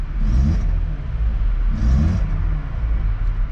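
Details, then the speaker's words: MK3 VW Golf with 295,000 km, engine thought to be a 1.6 rather than a 1.8: it struggles to start, then lumps and shakes with a deep low rumble surging and sagging instead of a steady beat; cause unclear. "this thing's running rough i mean there's a chance if i got this car we could have saved it"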